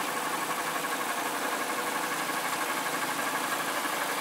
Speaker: o carro tá certinho bacana que tá mandando lisinho bonitinho como vocês puderam observar nossos poderes que não tem nada de errado com ele